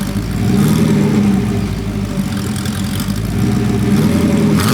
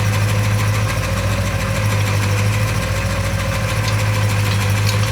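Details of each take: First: Porsche 928 V8 after sitting 10 to 15 minutes: idle hunts and stumbles, rising and sagging, and the engine is poorly tuned. A later mixture tweak made it happier at idle. Rough idle. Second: Porsche 928 V8 under restoration, after fuel pump relay refitted; smooth, steady low idle with an even beat, no ticks, misses or exhaust puffing; runs healthy.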